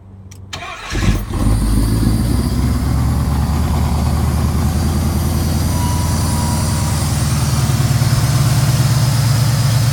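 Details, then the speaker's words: 1979 Pontiac Firebird Formula with freshly rebuilt numbers-matching 301 V8, Atomic EFI, twin 2¼-inch exhaust with MagnaFlow resonators but no mufflers, not yet fully tuned: cranks briefly, catches and settles into a loud, deep, steady idle; normal start, running sweet. "Running super sweet."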